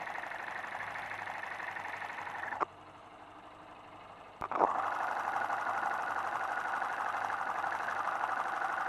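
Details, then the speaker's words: Motorcycle engine of a new bike with no noise problem, heard up close through a screwdriver used as a stethoscope: fast, even ticking about four per second; normal amplified internal noise from a healthy engine. "o elton estes ruídos que eu acabei de ouvir mesmo a moto sendo nova isso significa que o motor está com problema claro que não"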